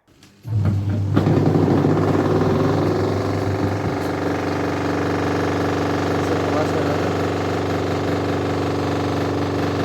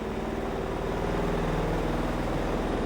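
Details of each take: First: Godrej 7 kg semi-automatic washing machine spin dryer: winds up into a loud coarse drone with rough rumble; the spin buffer under the drum is worn and needs replacing. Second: Godrej 7 kg semi-automatic washing machine spin dryer after buffer replacement and reassembly, running heavily loaded with clothes: smooth steady low hum with soft even pulse, noise now normal.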